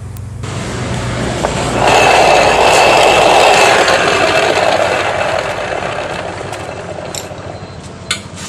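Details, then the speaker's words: Yamaha NMAX final drive before disassembly: a thin, steady high whine over heavy rushing noise, occurring from about 40 km/h upward; the shaft bearing was badly worn and the gears were unstable, leaving scoring and wear. "jadi seperti itulah suara pada motor Yamaha nmax ini yang berada pada bagian gardan sebelum kita bongkar"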